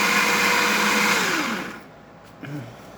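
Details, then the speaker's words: Baratza Sette 270Wi espresso grinder after repair, previously not grinding or responding to buttons: smooth, even high motor whir then clean spin-down; grinding normally again. "filter and there you have it but as i said this 270wi working once again"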